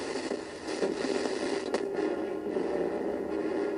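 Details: Roberts Revival R250 radio from the mid-90s: speaker output crackly, thin and unnatural, voices barely human; the previous owner used a reverse-polarity power adaptor, blowing the audio amplifier chip and a capacitor, later replaced.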